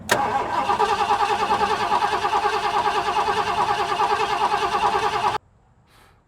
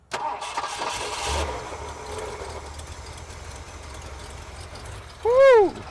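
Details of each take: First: 1970s Ford F-series pickup with 460 big block, sat 25 years, just fitted a new fuel pump: starter grinds at about 2.5 turns a second for five seconds without catching, then stops; cranks but won't fire. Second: Abandoned 1970s Ford pickup that sat 25 years, first start after getting fuel up: it cranks, catches and settles into a quiet, even low idle with no misses. Smooth, normal idle.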